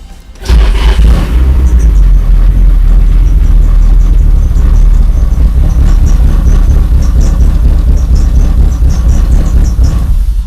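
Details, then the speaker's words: Nissan 240SX SR20 restarted after valve cover off and rocker check: engine catches then settles into a loud, uneven, lumpy low idle that stumbles, dropping from about 1,000 to 500 rpm; misfire. "We tried to start the car. And it did run for a little bit, but it sounds like it has a misfire."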